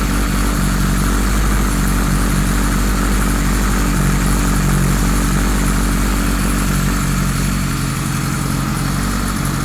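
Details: 1978 Kawasaki Z1-R four-cylinder on the stand, carbs newly installed, no enricher: idle runs with a slightly lumpy, uneven beat; synchronizer shows cylinders 1 and 4 fairly good but 2 and 3 out, carbs out of sync, still behaving weirdly.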